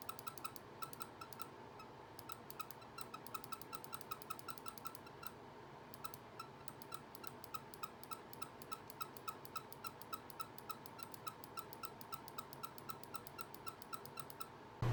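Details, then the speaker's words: Glorious Model O gaming mouse after 3 months of use: left and right buttons clicked about two a second in a quiet room, sharp, uneven, worn-sounding clicks; click sound has degraded. "The first problem with it is the sound of the left and right click after a while."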